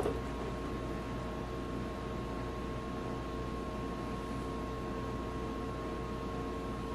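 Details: Metal lathe on a hard chrome-steel precision ball; steady thin ringing over a dull even hiss with no chip-cutting chatter: the drill is rubbing on hardened steel, not cutting.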